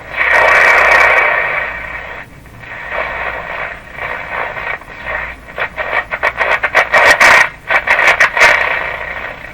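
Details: Philco 38-C7 tube radio after grounding the shells of two ungrounded metal tubes, tuning shortwave and broadcast bands; hissing roar with a thin whistle and choppy bursts as the dial moves, wild oscillation still present. Spurious oscillation.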